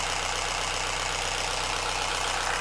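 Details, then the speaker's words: Mazda Miata being revived after extensive engine work and seven months off the ground. Timing set at 10 degrees, fresh 91 gas mixed with year-old gas. A steady idle carries a dense, rapid diesel-like clatter over hissy mechanical noise, cause unknown. "oh boy after all that work it still sounds like a diesel"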